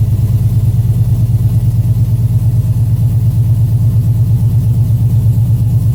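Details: 2007 Chevy Avalanche V8, first start after DOD/AFM delete, Texas Speed performance cam, rebuilt heads and headers, DOD disabled and timing retuned in HP Tuners; deep, steady, slightly lumpy cam idle, hollow header note, no knocks, ticks or misfires; normal idle.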